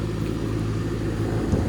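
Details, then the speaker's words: Goodman heat pump condenser just after its dead capacitor was replaced, powered on at the breaker: the compressor comes on almost instantly, giving hot air, with a steady, smooth, even low hum and rumble; normal running. "Let's see what happens when we hit the breaker. Well, the compressor came on almost instantly, getting hot air,"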